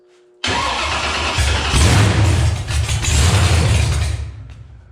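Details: Cold engine (about 45 °F) with freshly rebuilt mechanical injection pump and gas in primer: starter cranks at steady chug about four seconds, never catches; no fuel reaching barrel valve, pump seized, breaking cam-to-pump shaft.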